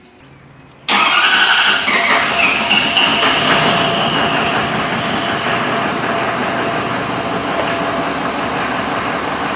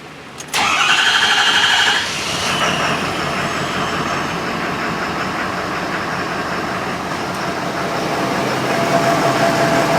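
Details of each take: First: 6.7L diesel, DEF cross-fueled, running from auxiliary fuel tank during fuel system evaluation: catches after short crank and settles into steady even idle, no misses or knocks; sounds healthy, though some injector balance readings off-scale. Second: 6.7L diesel with diesel exhaust fluid (DEF) in the fuel tank, started briefly on fuel supply from a container: cranks, catches, then uneven lumpy rattle, not happy, burning through fuel fast; rough running from DEF-contaminated fuel.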